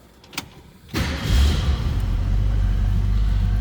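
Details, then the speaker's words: 1965 Ford Mustang convertible, 289 V8: short crank, then it catches at once and settles into a strong, even rumble; clean start with no hesitation, which it always does. Normal engine start. "Let's go ahead and fire"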